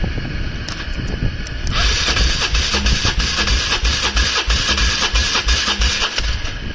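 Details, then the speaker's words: Polaris Trail Boss 330 single-cylinder quad cranking with choke and some throttle: steady starter churning about three turns a second, engine never catches; crank no start, carburetor suspected, not confirmed. "might need some throttle yeah nothing all right carburetor is coming off"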